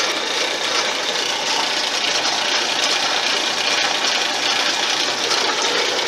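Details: RockCan crusher machine on its first test run after pulleys and belts were assembled, drive set to about 80 rpm; steady, even whir from motor and belt with no knocks, slap or grinding, running smoothly.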